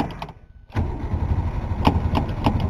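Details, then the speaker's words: 1962 Ford Falcon 200 ci six, first start in a long while after priming a temporary gas tank: starter churns a steady rhythmic crank without firing while the pedal is pumped; crank no-start, fuel possibly not yet at carburetor. "I don't know if there's any gas even up at the carb yet, but we'll just keep pumping her until she goes."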